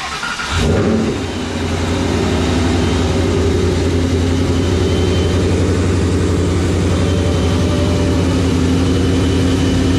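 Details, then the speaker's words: Start and idle of a 2012 Paxton supercharged Mustang S197 after a Gen 2 short block, ARP head studs and new OEM gears; cranks and catches quickly, then a deep, steady, even idle with no ticks or knocks, a healthy engine. "sounds good sounds deep does it sound different it's your car"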